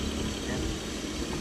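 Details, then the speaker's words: Suzuki DA16 mini van after a bearing replacement at the shop to cure a noisy running sound: steady even idle, low hum, no squeal or chirp; now much quieter, normal idle. "Ah yan mga master hindi na masyadong maingay."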